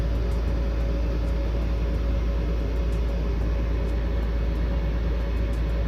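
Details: Mr. Heater Big Maxx 80,000 BTU natural-gas garage heater, after a hose connector was fitted to tighten over the fan to cure noise and vibration: steady smooth low hum with no knocking or rattle, normal fan running.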